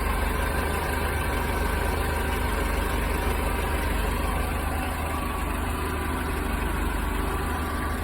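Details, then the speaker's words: Mercedes-Benz 190E (W201), hot idle: the radiator fan clutch clicks on at exactly 100°C and the big fan gives a steady, even rush of air. Normal fan clutch engagement. "Ich habe gerade ein Klicken gehört. Dies ist das Geräusch, das die Kühlerlüfterkupplung macht, wenn sie eingeschaltet wird. Es schaltete sich bei genau 100℃ ein."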